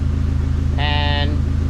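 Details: Dodge SRT4 idling after repair of a failed aftermarket clutch pivot ball and a broken throw-out bearing retainer, which had caused a throw-out-bearing-like rattle: steady, smooth idle pulse with no gearbox rattle, apart from one short tonal sound. Normal idle.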